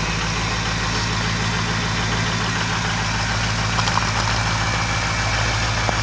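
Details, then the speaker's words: Ford 6.0 Powerstroke diesel, stone-cold start without block heater after glow plug cycle, oil very cold: steady raised diesel clatter with even beat about three per second as engine bumps up into high idle mode; normal cold high idle. "that oil is awful cold's awful cold then you'll hear it uh bump up into high idle mode."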